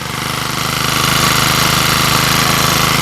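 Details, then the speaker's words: Used lawn trimmer after repair for no power and dying when revved: new carburetor, bored cylinder with piston and rings, new fuel lines. It starts easily into a quick, even idle with no misses or surges, normal. "เดี๋ยวมาฟังเสียงก่อนการจัดส่งนะครับสตาร์ทติดง่ายนะ"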